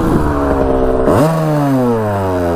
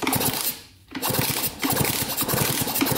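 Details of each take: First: 1982 Kawasaki KX125 two-stroke on first ride, starts first kick even cold, air filter off so maybe a tad lean: crisp buzz snapping up in pitch and winding smoothly down, free-revving with good pep; clutch working. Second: 1982 Kawasaki KX125 two-stroke, long-sitting, kicked over after penetrating oil down cylinder: even kick-over strokes, no crunch, smoother now; compression confirmed by thumb test, oil meant to save piston and cylinder.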